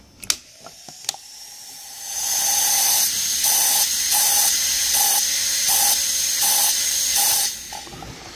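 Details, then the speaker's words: Mercedes SL55 trunk lock vacuum element, cracked: a sharp, airy hiss cuts in and out about three times a second when the latch is closed, a vacuum leak through the damaged element. "so this is basically the trunk Li air leak okay so they they all break it's just a poor design"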